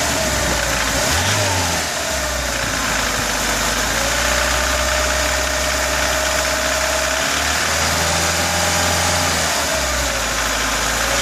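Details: VAZ 2106 1.5 engine held at mid revs: a rough rattle and knock over the hum appears between 2000 and 3000 rpm despite a new camshaft and a Pilot chain tensioner.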